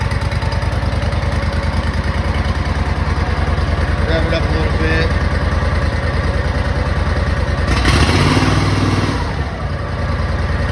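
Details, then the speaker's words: Exmark Lazer Z mower after engine replacement, full choke with some throttle: single-cylinder thump steady at fast idle with one brief blip, even and clean; high idle still needs adjusting. "a pressure loop motor so sounds good though surprise it runs so"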